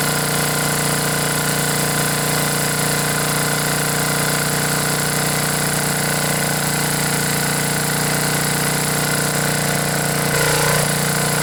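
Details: Generac generator with 10 hp Briggs & Stratton single-cylinder engine after head gasket replacement: steady, even buzz at constant speed with no misses or puffing; runs normally after the no-start repair.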